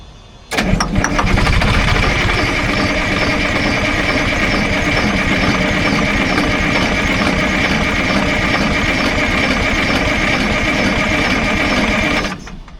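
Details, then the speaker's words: Detroit diesel in an old Grove crane that sat over 10 years, during fuel system bleeding: the starter churns evenly for about twelve seconds without catching, as no fuel was yet reaching the system; it cranks without starting because the fuel is unprimed. "See, I'm not seeing any signs of fuel coming out there. So, I'm going to crank it. Hopefully, fuel starts dribbling out there."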